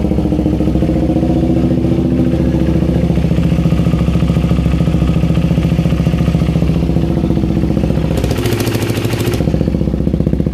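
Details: KTM Duke 390 V2, sat a month, fuel pump not priming until tapped free, now started with check engine light on: steady single-cylinder idle with an even beat, no misses or stumbles; normal idle.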